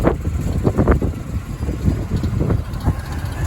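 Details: 1974 El Camino 454 V8 (120-130,000 miles), recently revived with carburetor rebuild, fuel tank cleaning, cap and plug wires, idles rough and lumpy with a light irregular rattle from the belt-driven air pump at the front.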